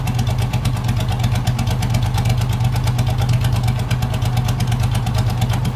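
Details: Race mower / hot rod tractor small engine with magneto ignition and a custom relay-and-tach rev limiter, recorded from behind: deep, rapid, even exhaust pulsing that holds steady with no misses or knocks; normal running.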